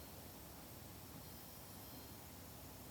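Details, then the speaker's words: BMW M54 engine being built as a backup for an E46 endurance car, leak-down test on cylinder 4: a steady hiss of air escaping into the crankcase, heard at the dipstick tube, probably from a piston ring. "so cylinder four is leaking through the crankcase probably again a piston ring"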